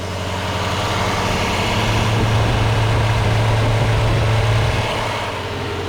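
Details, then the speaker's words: Lexus LS460 idling after serpentine belt tensioner replacement: steady, deep, even idle with no chirp, whine or rattle; pulleys now silent. "Pulleys are silent. So that's it."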